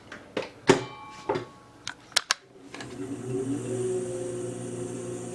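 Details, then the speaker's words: VB36 lathe headstock after fixing a speed-related ticking feared to be bad bearings, with a 4mm hex wrench adjustment: a few clunks, then a steady, even, smooth hum with no knocking or rubbing. "nice and smooth"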